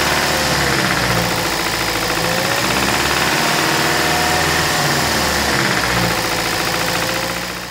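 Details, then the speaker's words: 2008 Toyota Prius Gen 2 petrol engine idling, microphone set next to the engine: deep, steady knock from the bottom end, believed to be a worn connecting rod bearing. Fixed by replacing rod bearings with the engine in the car. "this engine has an engine knock I believe it's coming from the connecting rod that definitely bottom end is what it sounds like"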